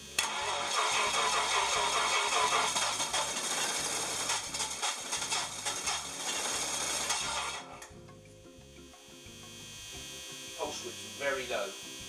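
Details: Twin-engine project on new propane (LPG) injection with Megasquirt 2 v3.0 driving both engines on distributors, 45° phasing: loud ragged cranking and uneven firing, then unsteady idle; owner suspects ignition timing is off, unconfirmed.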